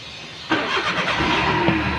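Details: Maruti Suzuki Alto that cranked but wouldn't start, no lights in meter board: brief crank, then catches cleanly and settles to a steady idle without misfire; now starts normally.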